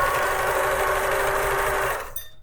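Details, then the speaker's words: Vintage Pfaff 360 portable sewing machine, thrift store find, run via foot pedal from slow to full speed: steady even whir then stop, sounds healthy, normal running. "I'll listen to that that doesn't sound bad at all a little faster it's working more and full blast"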